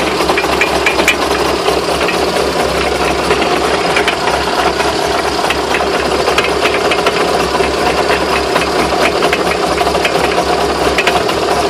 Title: Что за стуки?Можно ли считать привода кривыми?